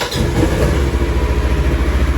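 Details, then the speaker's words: Labored cranking on a cold start (engine at 60 degrees), catching into a rapid, uneven chuffing idle within a second, on a rebuilt 2017 Polaris Ranger; the owner says the weak one-way starter drive is unhappy but it starts. "yeah as you guys can hear that one way is not happy but it does start it"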